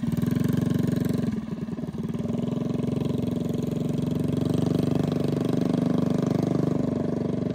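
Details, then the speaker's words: Predator 212cc single-cylinder minibike engine with stage 5 head, 310 cam and billet parts, run gently for break-in on a freezing night after first start: even rapid putter at steady light throttle with no miss or knock; running healthy. "Sounds like it's running pretty good though, so that's good."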